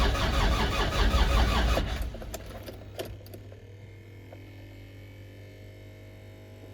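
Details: Land Rover Discovery 2 TD5 diesel, battery at 13 V: starter turns over slowly, about three laboured beats a second for two seconds, no firing; scanner shows cranking only 120 rpm, too low; slow crank no start, cause unconfirmed.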